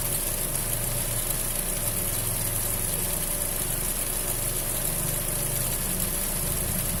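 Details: Fiat Punto 1.4 at idle: thin high hiss-like squeal riding steadily over even idle, unchanging; noisy auxiliary (accessory) belt.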